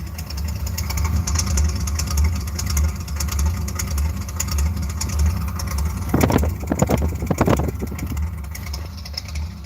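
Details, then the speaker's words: Ice cold and hard to start: rough, lumpy idle rising and falling about every half second, surging, sounds cammed; won't rev past about 2,000 rpm cold, owner suspects electrical issue. "Ice cold. Didn't even want to start. It's not even that cold out, dude. It's like surging too. It sounds like it has a cam in it."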